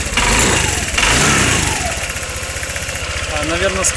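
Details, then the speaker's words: 2013 Honda SH150i scooter, restarted after the knock repair (timing problem, broken spark plug): cranks and catches roughly, uneven firing about four per second that won't settle. Hard start, probably from the intake manifold being filled with cleaning fluid. "скорее всего, я залил впускной коллектор очищающей жидкостью. Ну и, наверное, вот так он сразу не завелся."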